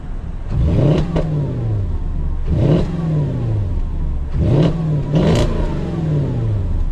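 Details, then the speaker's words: Porsche Cayenne V8, just MOT'd: three clean throttle blips rising sharply then falling smoothly back to deep even idle, owner wants an exhaust upgrade; normal revving. "That sounds crazy. We definitely need an exhaust upgrade on this."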